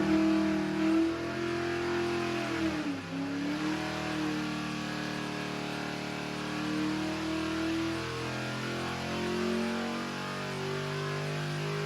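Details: 1964 Corvette vintage racing car (#49) with newly installed, dyno-tested replacement race engine: crisp revs climbing and falling cleanly with an even, strong note, no knocks or misses; engine healthy.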